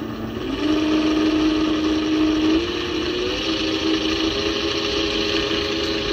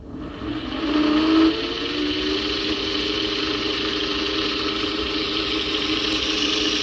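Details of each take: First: 400W three-phase alternator run as a motor at about 69 V: steady high whirring hum with rough gritty rasp from loud bearings; owner plans to run it for break-in, else open it up. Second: 400W three-phase alternator/motor tested at 69 V, after repacking one bearing side with grease: even, steady spinning whine with no rasp or rumble and a brief spin-down midway; bearing now runs smoother and quieter.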